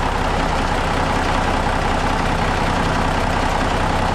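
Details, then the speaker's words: Idle of a Kenworth truck's freshly rebuilt Cummins diesel after worn rod bearings were replaced and excessive gear lash was found: steady, even low rumble with about 48–50 psi oil pressure at idle, and the earlier big rattle is gone. Normal idle. "That big rattle is gone."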